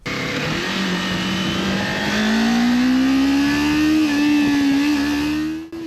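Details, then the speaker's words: 2023 Kawasaki Ninja 400 after fixing horn vibrating near 9,000 rpm on throttle release by fitting a rubber washer at the horn mount; clean rising and falling high-rev note, no buzz left. "As you can see, no more of that sound."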